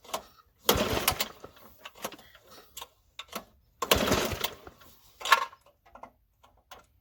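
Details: Toro 521 snow blower engine after recoil starter install and carburetor clean, primed, half throttle, choke stuck: two long rasping recoil pulls with rattling between, never fires; fuel dumping from the carburetor, engine judged not worth fixing.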